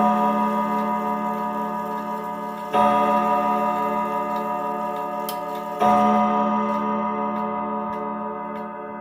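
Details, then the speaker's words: 1940s Manufrance box clock with a Girod movement and Saint Etienne chimes: the chime rings unevenly over steady ticking because the hammers are out of adjustment. The seatboard must sit in a very specific position, and the escape wheel has uneven teeth. "Yeah, I'm sorry that the hammers weren't adjusted properly, but uh The seatboard has to be in a very specific position."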